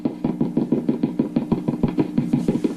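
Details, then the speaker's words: Epiphone Valve Junior-based tube amp head with Billy Gibbons mods, after low-output fault fixed: rhythmic hum-laden thumps about three per second through the amp as the shielded input cable is handled; cable is microphonic, signal persists even at zero volume. "so here's the weird problem this and I've never experienced this before so I'm going to figure out what the problem is can you hear that this shielded cable appears to be microphonic"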